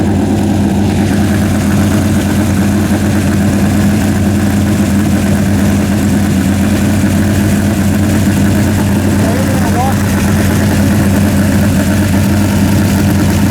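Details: Freshly rebuilt 406 small-block V8, new pushrods, primed, during 15-minute break-in at about 5 minutes: loud steady rumble holding one fast-idle speed, no misses, ticks or knocks; running clean, may need a bigger carburetor.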